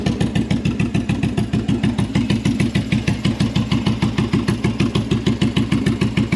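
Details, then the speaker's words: Bobber V-twin just after fitting Cobra Speedster exhaust, choke-primed start: lumpy idle about three pulses a second with uneven beats and occasional exhaust pops; owner suspects carbs need syncing and tuning, running a little lean. "all right so it runs it runs like mostly because uh the carburetors need syncing and fine tuning I think right now it's running a little bit lean maybe just because I kept hearing pops"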